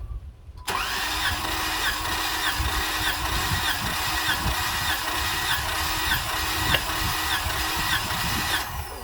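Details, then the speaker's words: 2017 Jeep Wrangler 3.6L V6 compression test, cranking on a cylinder reading about 140 psi: starter cranks at a steady even pace, about three and a half beats per second; this cylinder's compression is healthy. "compression and that one is about 1 40 on the clock so about 140 so 140."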